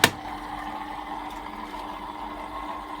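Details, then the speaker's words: Bosch-based Exxcel 1400 Express Maxx 6 washing machine stuck at one minute with a wet load, not draining: faint steady low hum after a click; drain pump running normally but not pumping out, fixed by cleaning the filter. "pumps definitely working but it wasn't pumping out"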